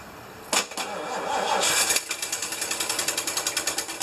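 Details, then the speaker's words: Rescued 1975 Lincoln Continental, start attempt after sitting: starter turns unevenly, engine catches briefly then back to cranking; oil pressure light returned, possible knock heard earlier, owner suspects gummed-up carburetor; hard starting, won't keep running. "it's that good old pressure even though it had died the light was out and then it came back on"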